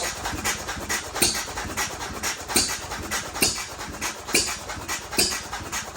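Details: First start of a Novo 3.5 or 4 hp hit-and-miss engine, 20-inch flywheel, found seized with water-filled crankcase, freed with cleanup and light cylinder hone, buzz-coil ignition, crankcase oiled; sharp pops about once a second with coasting gaps, spraying oil: running successfully.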